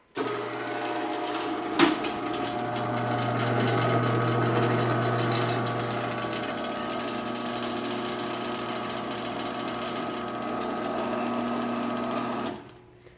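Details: Sears garage door opener after a new sprocket was fitted, motor getting warm, last run down: even motor drone with steady chain rattle for about twelve seconds, no grinding or catching, then a clean stop; opener runs normally.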